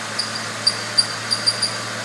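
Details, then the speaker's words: Ford 3.0L/3.8L/4.0L 12v engine (3.8 Mustang shown) at idle: light, intermittent chirps in the front, like a belt on a smooth pulley, from a failing cam synchronizer bushing. "It's more of a a light chirp which could be, you know, a belt, rubber belt against a a smooth pulley like this. It can definitely make that noise and it's right in this area. And it'll be intermittent like that."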